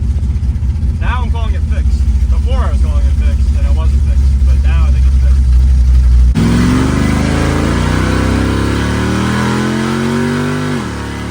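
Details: Car after fitting an HEI-style distributor to replace a broken one whose advance was freezing, with loose plug wires reseated, on a test drive: revs cleanly with an even, strong beat and no misses or stumbles. Now runs good.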